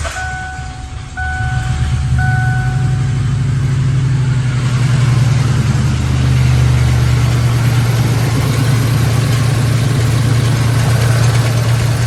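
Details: 1997 Lincoln Town Car Signature V8 right after new spark plugs: a few chimes, then a deep, lumpy rumble that never settles; idle still rough, one tailpipe cold, blocked exhaust on that side (e.g. mouse nest) suspected, not confirmed.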